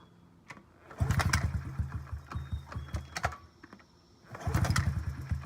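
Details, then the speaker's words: 2009 Honda CRF50F pit bike, not started in 2 years, kickstarted with choke up: engine catches in short putting bursts, stumbles and dies, then catches again; hard starting, about 6.5 minutes of kicking, because the choke was left on too long. "So, my mistaken error, I left the choke on too long. That's why it was taking me 6.5 minutes just to kickstart that bike."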